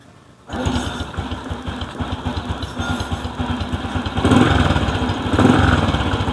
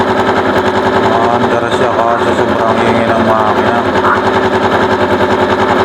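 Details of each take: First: Small kick-start motorcycle, stored about a year, after cleaning and reassembling the magneto-side cover: starts and settles to a steady, even idle with no knocking from the magneto side; normal idle. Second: Long-stored Bonus Sport SR small motorcycle, about a year unused, with an overflowing carburetor: engine runs very loud with a harsh grinding scrape like a grinder over the beat, caused by the magneto rotor rubbing; fixed with a replacement magneto.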